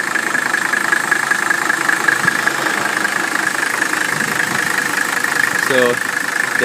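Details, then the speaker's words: 1981 Mercedes W126 300SD, OM617.951 turbo diesel, restored with new piston rings and bearings, EGR vacuum blocked, new air filter, at idle: steady, even diesel clatter with no rattles, clanks or squeals; healthy engine. "you go the engine sounds like it should there are no rattling sounds no clanking sounds no squealing it sounds like a very healthy om six one seven Mercedes engine"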